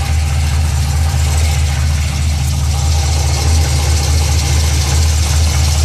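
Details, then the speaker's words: Pontiac GTO at idle: steady low idle with faint quick rhythmic knock underneath, about two per second, from the bottom of the engine towards the mid pipe; engine knock at idle, cause not yet pinned down. "This is the noise I was talking about. It's coming from the bottom part of the engine towards the mid pipe."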